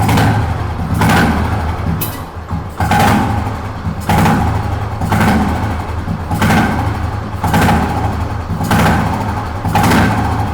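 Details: Fully restored 1971 Royal Enfield Bullet single with its original exhaust system. It idles with a steady, even low thump and no knocks or rattles, and the engine is described as very well set up and quiet.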